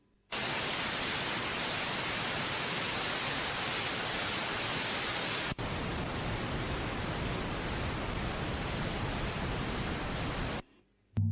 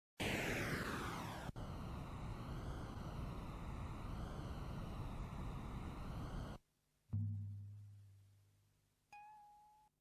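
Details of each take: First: Hear how nice that boof ting was. And that's the difference that lubricating the tape made. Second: Brand-new old-stock Type 2 metal cassette tape with soft binder syndrome, recorded at 0 dB before treatment: harsh, smeared playback with wobbling pitch as sticky tape drags unevenly past the heads; fixed later with silicone dry lube.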